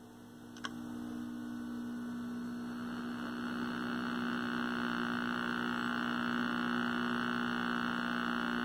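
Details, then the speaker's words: 1960s Philco S-1262BK 12-inch black-and-white tube TV: steady low buzz with faint high whine, sound cutting in when pressing the board, traced to a loose connection. "see see if I push on this stuff here Oh what the hell you get my sound back we got a loose connection there let's take a closer look at that one"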